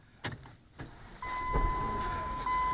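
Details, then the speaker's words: 2009 Dodge Journey with a history of intermittent clicking no-starts, after adding a 4-gauge ground cable from engine block to chassis ground stud: after a chime the starter cranks about one full second, the engine catches at once and settles; a clean start. "see it starts every time that's the sound I want to hear"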